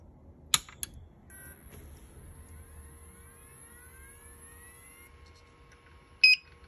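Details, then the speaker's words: Hikvision recorder after replacing noisy original Chinese-made fan with a replacement: faint steady soft whir, thin even tone, no rattle or buzz; noticeably quieter than original, normal fan running. "this when i listen to it now it is somewhat quieter um it is somewhat quieter yes definitely it's quieter"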